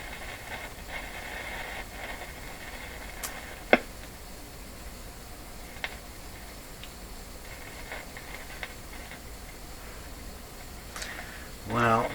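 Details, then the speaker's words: Pink GE model 913-D five-tube AA5 clock radio powered at about 107 V via light-bulb limiter: faint steady hiss with scattered sharp crackles and pops every second or two; suspected silver mica disease. "these particular static sounds they're not good this is not good"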